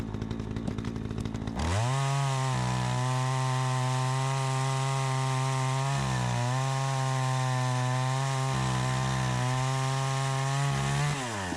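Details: Troy-Bilt 20-inch chainsaw, bought new, after carburetor adjustment: winds up to a clean high scream, pitch sags smoothly as it bites into wood and recovers crisply; runs like a new saw, owner thinks slightly more RPM available; normal under cutting load.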